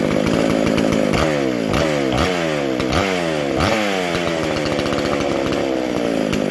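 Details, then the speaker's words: Vintage McCulloch SP125 two-stroke chainsaw with 36 inch bar, after fixing a large carb-to-intake gap and loose throttle linkage; repeated quick throttle blips, each a clean sharp climb in pitch and crisp drop back; snappy, healthy revving. "Man, that feels just like the race saw when you hit that throttle. Just snappy."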